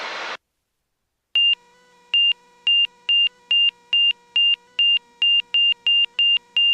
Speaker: oh listen what was that beeping noise ah what was that beeping noise holy smokes